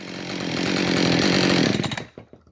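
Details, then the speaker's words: Husqvarna 550 chainsaw with a symptom when tilted on its side, fuel with debris: thin, high buzzing that climbs a couple seconds then cuts out; lean running, owner suspects a radial seal air leak or switch, unconfirmed. "Okay, so now it doesn't show the symptom, but it does show lean symptoms. So I wonder if that's related."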